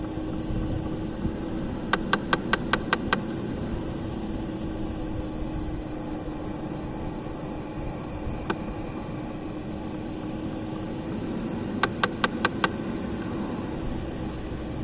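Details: Audi A6 C5 Climatronic, V71 air-flow flap actuator: sharp clicks in quick bursts of five or six over a steady fan and engine hum; actuator likely slipping.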